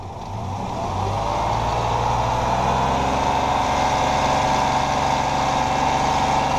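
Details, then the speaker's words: 2006 Ford Explorer 4.0L SOHC, warm idle with light throttle, recorded before engine removal, and a replacement engine: steady rapid metallic clatter about four beats a second, the notorious death rattle. "All right, so as you can hear, she's hurting. That's what Ford 4.0 Death Rattle sounds like."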